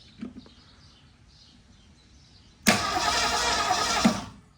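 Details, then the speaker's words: 1963 Ford Fairlane 500, 4-door, 41,000 miles, a long-stored barn find: about 1.5 s of rough starter whirring, engine turns over but won't fire; cause suspected, not confirmed. "All right. We do have the engine turning over, so that's a good thing."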